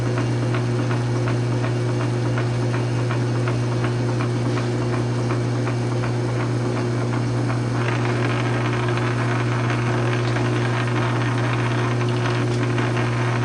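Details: South Bend 9" lathe with converted quick-change gearbox (formerly Model B change-gear) and 12L14 leadscrew extension, slow threading passes, thread came out perfect: steady motor and gear hum, light even drive ticking; normal running.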